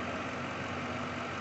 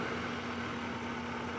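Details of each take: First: 2003 Lincoln Town Car 4.6 V8 after repair: steady, even idle with no shaking. It previously shook with P0300 misfires on cylinders 2, 4 and 8 after an intake manifold job, caused by loose injector connections. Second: 2003 Lincoln Town Car 4.6 V8, code P0300, misfire on cylinders 2, 4 and 8 after intake work: rough, stumbling idle with dead cylinders and heavy shaking, caused by loose injector connections; runs well once corrected.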